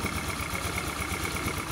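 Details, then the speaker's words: Honda Scoopy PGM-FI scooter single, previously rough and clattering with thick white exhaust smoke, after piston replacement: steady, even idle putter with no knocks or rattles, oil circulating, no more smoke; smooth and healthy. "Jadi sekarang kita tes, bunyikan dulu ya. Lihat, langsung bunyi."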